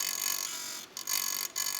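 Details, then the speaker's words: 2004 Compaq R3000 Pentium 4 laptop after reassembly: thin high scratchy whirr with faint squeal; a metal cover was rubbing the fan blades, causing the grinding, fixed by bending the metal outward. "i opened it up again to quickly realize that one of the covers was rubbing against the fan blades and that explains the grinding sounds"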